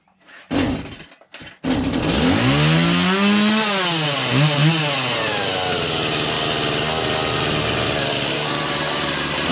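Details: Stihl MS180 chainsaw after gas line replacement with the carburetor removed and refitted, started on full choke then half choke: a couple of pulls, then it catches and revs up and down before settling into a steady, even two-stroke run.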